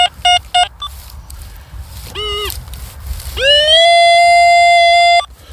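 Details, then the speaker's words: Metal detector in a UK field: short chirps then a clean steady high tone held for a couple of seconds, a strong target reading about 82, dug up as a large lump of lead. "we got another screaming Target down there"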